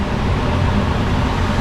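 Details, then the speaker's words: Gas furnace after replacing a failed control board, blower kicking on after the burners have run a while: even, low airflow rumble holding steady with no ticks, scraping or squeal; normal blower operation. "Next, the blower reel will kick on after the burners run for a while. Hopefully you guys can hear the blower."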